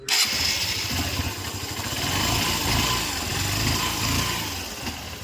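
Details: Honda Shine 125 motorcycle after carburettor vacuum fix and fuel gauge float replacement: engine catches straight away, settles to steady idle with smooth revving, no misfire or stumble; healthy.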